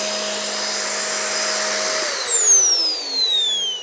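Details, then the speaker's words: Curb-found Shark NV750 vacuum, first power-up, brush roll spinning: steady high motor whine and even hum winding down smoothly at switch-off, no rubbing; initial inspection finds nothing concerning, normal running. "so wow okay so on initial inspection I am just not seeing anything that uh gives me you know cause for concern"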